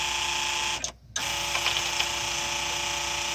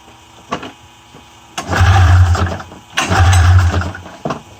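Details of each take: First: 1994 Polaris Indy 500 EFI snowmobile electric fuel pump jumpered directly to a charged 12 V battery: steady high whir with constant tone after a brief cutout; pump works and delivers fuel. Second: 1994 Polaris Indy 500 EFI snowmobile wired by jumper to a 12 V battery, no key: three roughly one-second bursts of cranking, never firing; cranks but won't start, cause unknown.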